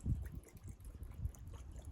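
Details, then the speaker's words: Bottled-gas cooker LPG regulator and pipe that won't pass gas to light the hob. Soft, irregular sloshing when the fitting is wiggled: water trapped in the pipe and regulator blocking gas flow; regulator and hose are replaced. "I don't know if you can hear that, but it definitely sounds like there's water in it. And that's just blocking the gas getting up."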